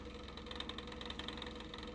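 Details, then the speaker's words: OASIS CR 32/8 circulation pump, in service since about 2017: fast, light, regular ticking rattle over a soft steady hum at constant speed; owner suspects the bearing rather than trapped air. "говоря, я подозреваю, что эти звуки издает уже не воздух, а подшипник."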